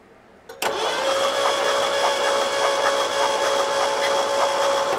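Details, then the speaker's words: 1972 Ford Galaxie 500 station wagon, 400 V8, parked since 1998, cranked with the key: starter spins fast and smooth with a steady whir and hardly any compression chuff; suspected low compression, not confirmed. Engine cranking. "so we've got this thing turning over and it is turning over with the key inside the car there doesn't sound like it's got a whole lot of compression"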